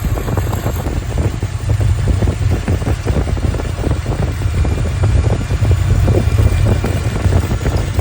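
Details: 1983 Ford Capri V8 at idle, factory cast exhaust manifold apparently with no gasket: rapid sharp puffing tick over deep rumble, manifold exhaust leak found with soapy water; later welded shut, headers planned.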